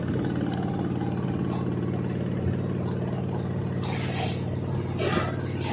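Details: LG 2-in-1 washer-dryer (10.5 kg wash, 7 kg dry) during the spin cycle: a deep, steady drumming with a regular thump about three or four per second and heavy cabinet shaking. Excessive vibration; cause not confirmed.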